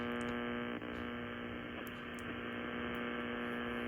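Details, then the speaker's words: Linear Astron RS-35M DC power supply plugged directly into an amateur radio receiver, tuned around 1–1.5 MHz: steady buzzy hum with stacked overtones over receiver hiss, heard from about 1 to 3 MHz and into the AM band; power-supply interference. "I think that this area in here is from kind of the local stuff the refrigerator the dimmer switches that sort of thing but this is what it sounds like with this normal power supply it is a linear Supply plugged directly into th"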